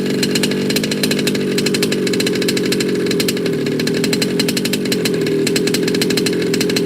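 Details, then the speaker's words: Baja 5T gas 1/5-scale RC car, first start after a major repair: a crisp, steady two-stroke buzz at a fairly even speed with a slightly rough pipe note. It starts and runs cleanly, which is normal. "shut it down that was a great start wasn't it guys"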